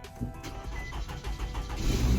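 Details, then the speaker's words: Auction car picked up for hauling, start-up in the lot: cranks briefly, catches promptly and settles into a steady low running note; normal start. "oh thank goodness all right start i'm actually super happy about that"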